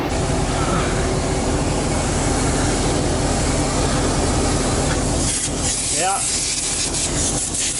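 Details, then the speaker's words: 1986 dump truck, 118,000 miles, diesel idling: constant airy hiss under the rumble as pressure is lost, brake light on; an air line under the truck appears broken at a supply fitting, air line leak. "Oh sounds like we lost in the airline or something for losing pressure and our brake lights on now I don't think we have enough air pressure to actually actuate the brakes I hear something leakin under here"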